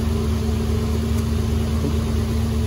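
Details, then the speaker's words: 2015 Infiniti Q50 3.7L, first start after new NGK spark plugs and an oil change: smooth, even V6 idle with a steady low hum and no ticks, misses or knocks, healthy. "Getting ready to fire this thing up. Hear it run. Brand new spark plugs in it. There you go, guys. Brand new NGK spark plugs, brand new oil."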